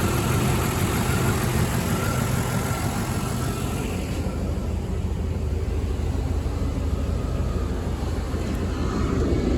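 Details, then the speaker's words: Mercedes W124 E420 with M119 V8, first start after power steering reservoir seal and hose repair: steady low rumble with an even beat, no knocks or squeals, idling smoothly for a few minutes while warming up. "it's idling fine all right I'm gonna let it warm up for a little bit see how it's doing and I'll check back with you guys all right guys from idling for a few minutes sounds nice and smooth now"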